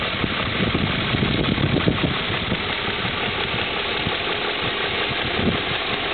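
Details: 2002 BMW M5 ticking at idle: steady idle with a light, quick ticking riding on top of the engine note, a top-end tick of unknown cause.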